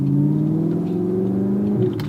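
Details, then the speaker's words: 2015 Audi R8 manual, 150,000 miles, after rebuild, not warmed up (coolant about a quarter, oil just past first peg), very open exhaust: smooth, clean rev climbing and settling evenly, no knocks or misses; healthy engine. "that sounds pretty good now the car isn't warmed up right now it's about a quarter on the coolant temp and just past the first peg on the oil temp"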